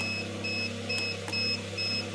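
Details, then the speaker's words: Homemade automatic egg incubator with three hatching trays gives high double-pitched beeps in even bursts about twice a second over a low fan hum; the door was opened, humidity dropped, so the low-humidity alarm sounds. "یہ آواز آپ کو آ رہی ہوگی، یہ باہر سے کھولا ہوا نا، میں نمی اس کی کم ہو گئی ہے، اس لیے اس کا الارم بج رہا ہے۔"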